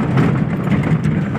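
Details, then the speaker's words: Maruti Eeco van on a rough road after suspension repair (suspension arm, stabilizer link, front links and bushes replaced): steady low road rumble, earlier knocking from underneath gone, only faint body door rattle remains. "यानी की गाड़ी में जो नीचे से गढ़ गढ़ आवाज़ आई थी वो कुछ भी नहीं ए रही"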